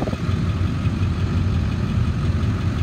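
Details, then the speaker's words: 2001 Ford F-350 Super Duty dually, 7.3 L diesel, 71,000 miles, running about 45 minutes without overheating: steady low, even diesel rumble at idle, no knocks or misses; healthy smooth idle. "the motor sounds good i've had it running for about 45 minutes it has not overheated idle smooth revs up nice"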